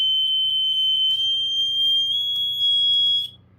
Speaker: So I have some batteries in my 1200. It does work. I just tested it.